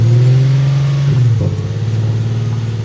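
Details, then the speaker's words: Car started with the intakes removed: revs jump high and hold, then drop and hunt with a pulsing beat, surging idle; owner attributes it to the missing air intake. "It start revving all crazy? You wanna know why I started revving all crazy? There's no air intake."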